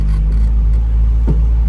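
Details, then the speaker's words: Naturally aspirated K24 car driving with windows down: a single dull thud through steady road rumble, clunking (front and rear) blamed on poor aftermarket coilovers. "That clunking, that right there, hear that? That is some coilovers that somebody told him to buy based on their impression of them, and they suck."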